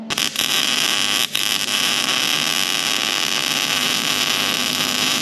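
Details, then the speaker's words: MIG welding a nut onto a stud broken inside the flange to extract it on a Turbo Barra swapped VS Commodore; crackling arc hiss with brief dropouts, welder feels the wire feed is struggling (suspected). "like the wire feed is struggling there i don't know i don't think that felt any better than the last one"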